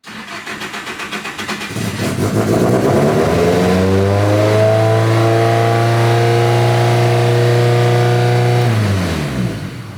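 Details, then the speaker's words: Freshly rebuilt SR engine, not yet fully base-tuned, exhaust leak present: engine catches and idle climbs within seconds, hanging high until shut off; runaway idle from an untuned base map. "Yeah, it was climbing, so I shut it off. Okay. So, we're not to a full base tune yet."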